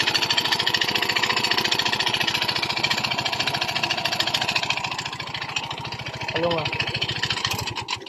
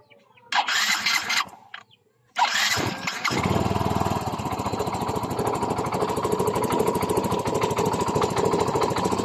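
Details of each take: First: Yamaha Mio i 125 at idle before repair: fast, sharp metallic rattle on every firing stroke, piston slap; fixed by replacing the block set. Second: Yamaha Mio i 125 scooter after an engine teardown for a loud piston slap/knock, with the block set replaced: a brief start, then a steady, even putter with no knocking over the exhaust beat. Normal idle after repair.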